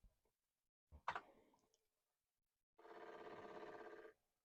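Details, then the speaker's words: Commodore 1541 floppy drive, opened and recently lubricated, after sitting for decades and needing repeated commands to revive: soft thump then fast, even clicking chatter as the head steps normally while formatting a disk. "and this is sounding much nicer we should hear it clicking away here and we do we do indeed so that is reassuring"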